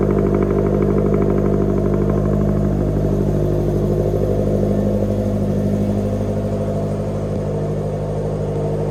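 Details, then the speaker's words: Supercharged automatic Scion FR-S with front-mount intercooler and blow-off valve, after a dropped rocker arm and broken valve cover were repaired. A smooth, steady pull at about 80% throttle with a clean, even note and no misfires or rattles. Normal acceleration. "Pretty good. Pulls pretty good. I only 80% throttle, not all the way."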